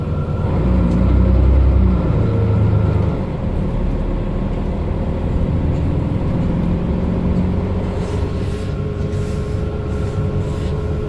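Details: Mercedes-Benz Citaro O530 LE bus, OM457hLA 12-litre Euro 5 diesel (299 hp), ZF Ecolife 6AP1700B automatic with overdrive, 12,450 kg: pulling away with a steady drone and a faint tone rising with road speed; the fleet's only noisy Ecolife gearbox whining.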